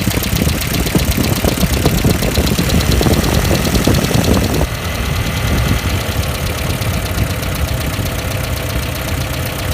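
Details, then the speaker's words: 1994 Ford Econovan with points ignition, after replacing burnt points (from slipped timing belt) and resetting gap and timing to spec: steady, even low-rumble idle without stumbling, holds idle, much better than with points not opening properly. "That's where my timing's meant to be. The idle's a little bit more sensible."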